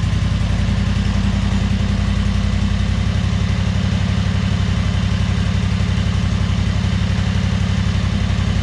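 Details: 2003 Wright Stander fixed-deck mower, 23 hp Kawasaki V-twin, after a hose was fitted from the fuel pump to the crankcase pulse: lumpy, uneven beat that won't settle. The choke and throttle cables share one linkage and fight each other; the choke belongs on top, the throttle in a bottom hole.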